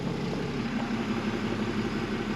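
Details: Recovered non-running street sweeper, truck engine being tested while the auxiliary sweeper engine still won't start; even, steady diesel drone with a constant low note and no knocks or misses, the truck engine running healthy.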